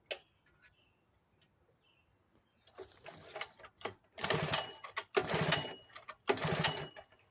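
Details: 1975 Sears Gamefisher outboard, first start after carburetor repair, running in a water barrel with choke pulled and only a couple cups of gas: catches in short uneven bursts, surging and fading; owner suspects low fuel, carb needs adjusting.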